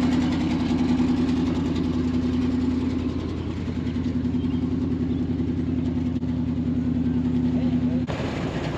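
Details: 1974 Ford F600 dump truck running on two-year-old gas, smoking a little: a steady, even low hum holding one pitch with no misses or knocks as it idles smoothly. Normal idle.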